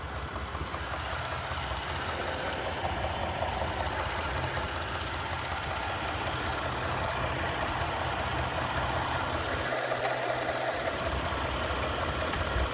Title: 2017 3.5 ecoboost knocking sound